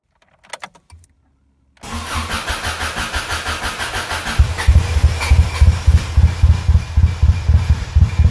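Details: Subaru Impreza WRX engine after rebuild, first test fire with no coolant, run only a few seconds: brief crank, then fires cleanly and settles into a steady, even low thrum; normal start.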